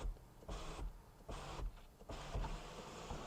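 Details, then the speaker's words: BMW E46 330i sunroof after a failed reset/recalibration attempt: short motor whirs start and cut off three times in a few seconds, never a full run. The motor keeps stalling before the roof is forced shut. "nope Okay She's Tight she's shut the recalibration did not work you guys saw a little bit of the symptom like"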